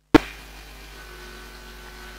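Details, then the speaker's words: 2013 VW Amarok 2.0L diesel, new secondary (EGR) coolant pump activated with a scan tool after fault codes: steady low electric motor hum with faint whine, without the old pump's rattle: normal pump running. "well even though it's got a bit of noise attached to it of course it's an electric motor it certainly doesn't have that rattling noise that the other one had so yeah i'm happy with that that sounds good"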